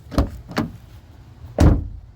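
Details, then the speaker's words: 2014 Honda CR-V EX AWD door with damaged body-worked skin: closes with a dull, hollow wump and low boom instead of a solid sound; door skin reverberating, to be filled with material in the gap. "there's like a like a wump it's it's this you can hear that here's how it door should sound solid so plan is to put this stuff in that Gap to try and stop the reverberation"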